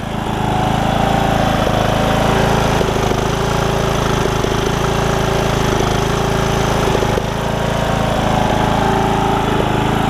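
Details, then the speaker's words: Briggs and Stratton single-cylinder riding mower engine after replacing the carburetor with a HiPA kit: steady, even putter at idle, settling out, no misses or knocks; normal idle. "All right, now we're good. Settle itself out. As you can hear it, it's running pretty good."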